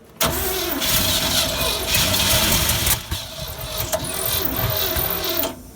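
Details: 1957 GMC 370 2-ton truck, original Pontiac 347 V8, sat 20 years, formerly seized, 6625 miles: brief cranking, then fires on fuel poured into carburetor, runs rough, uneven and smoky, stumbling; owner unsure it's on all cylinders.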